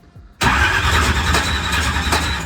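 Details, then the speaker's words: Drag race V8 cranked with the ignition off after a huge backfire locked the engine: harsh starter grind with a periodic clack where the starter gear hits the flex plate's missing tooth. "you can hear the missing tooth on the on the flex plate okay come on"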